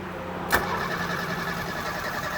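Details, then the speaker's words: 1968 SportCraft Adventurer 16 ft boat, Renault 60 HP inboard/outboard, choked, hose water supply, unstarted for five days: brief crank snaps straight into a steady even idle without stumbling; starts quickly and runs very smooth. "have to, there it goes, and we're up and running. Runs very smooth."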